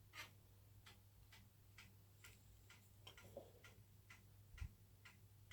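Sharp, even ticks about once a second over a faint low hum; this is the ordinary head-seek click of a working Amiga drive.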